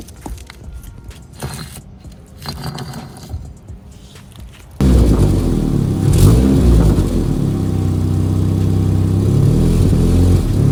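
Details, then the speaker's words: Turbo Miata drift car with newly completed exhaust (previously open downpipe): engine running with an uneven low rattle about four a second, knocking that comes and goes, traced to the exhaust touching the motor mount. "So, as you can hear, there's a little bit of a rattling coming from somewhere down there in the exhaust. And I do believe I see the culprit. It looks like I am Hold on a second. Looks like my exhaust is touching my motor mount."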